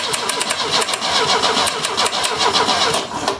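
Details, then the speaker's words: 1970 Opel GT barn find, unrun about 30 years, with the pedal held down: quick steady cranking for about three seconds with no catch. On a later try it nearly started and backfired a little. "well it tried to go go ahead that was scary that was a little scary it backfired a little bit"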